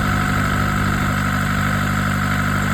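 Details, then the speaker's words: BMC diesel marine engine for a boat engine swap, on a bench test: steady, even idle with smooth low thrum, no knocks, misses or rattles, water coming out of exhaust so original pump works; normal idle. "So here is a little video of Calcutta boats with my engine on a bench test, up and running, which is"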